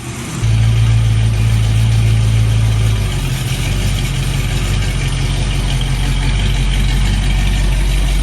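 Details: 1974 AMC Hornet wagon V8 just after fitting a milder third camshaft (previous cam had a collapsed lifter, diesel-like noise), about 11,000 miles, distributor not yet timed: deep steady idle, even low burble, no ticking or knocking; runs healthy.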